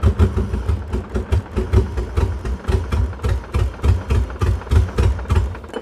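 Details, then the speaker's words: 1989 BMW 535i E34 M30B35 six, long-stored, running on fresh 93 fuel: uneven, lumpy idle with irregular low thumps and stumbles, better than before but still misfiring, coolant temp sensor code shown. "it's definitely running better it like literally is better but we're still having problems"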